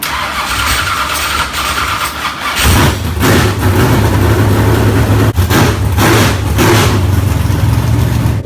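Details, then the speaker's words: Replacement V8 swapped into the race car after the previous engine was damaged: cranking, then it fires and holds a rough, lumpy but steady idle with blips; normal start and idle. "we got our Indian in and done even seen the background right car you got it running warming it up"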